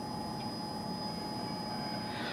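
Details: 1994 Chevy Astro van CPI engine, no-start troubleshooting (cause: poor contact at fuse block 30A circuit breaker): in-tank fuel pump powered directly, heard from underneath; steady, even electric hum with faint high whine, no surging; pump running fine.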